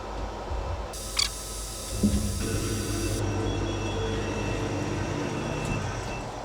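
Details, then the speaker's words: Trotec Speedy 300 laser cutter switched on: clicks and motor shifts as it levels the bed and head and calibrates zero positions, then steady beeps over a low hum signalling ready to work. "After few beeps, as you can hear, the laser cutter is ready to start working. It has calibrated all the zero positions of the bed and the head."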